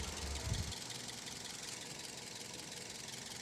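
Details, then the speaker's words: Toyota Vios after engine overhaul (oil-starved engine), first start after camshaft reinstalled and timing set: quiet, even idle with soft steady rhythm, no knocking or ticking; running cleanly. "Tahimik na tahimik ah. Parang natsambahan."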